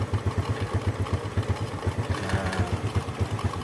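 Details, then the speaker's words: Honda C70 single-cylinder carburetor, air screw turned out past 2.5–3.5 turns for fuel economy daily setting; steady idle slightly high and clattery, about two firing pulses a second, lean air screw setting. "saat idle agak tinggi, agak berisik, kan, teman-teman?"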